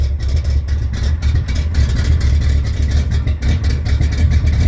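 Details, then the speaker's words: Carbureted American muscle car, ignition recently fixed, cold just after a hard start without choke: deep lumpy idle surging and sagging, beat faltering near stall; cold carburetted engine stumbling at idle without choke, needs extra gas. "That's why you gotta get the gas so much without that stupid choke. The choke helps because it sucks gas through the ports."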